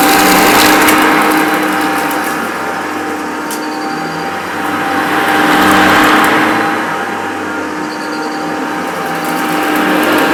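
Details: Maytag U5131 upright vacuum on carpet: even motor roar with a faint high squeak coming and going every few seconds; owner thinks a worn belt needing replacement causes it.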